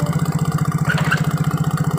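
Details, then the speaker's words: Mio J scooter idling with a loud regular hollow klotok knock about twelve beats a second; spark plug wobbles, not tightened enough, and blows by; not the one-way gear. "kenceng oleh mengakibatkan bunyi seperti klotrok nah dan ini goyang"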